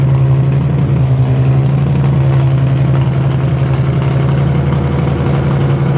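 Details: Widebody BMW E30 on MegaSquirt ECU with fuel pump rewired to factory wire, steady low idle hum holding an even note without stumbles or misses; fan works, fuel pump cycles properly, timing not yet set; normal idle.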